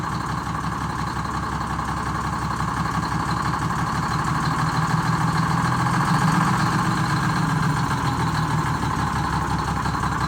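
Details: Detroit Diesel inline 6-71 bus engine with no power, low compression, a dirty, bad Roots blower and white unburnt-fuel smoke, plus a fuel pump losing prime; uneven, lumpy low idle chuffing about three beats per second, weak cylinders suspected.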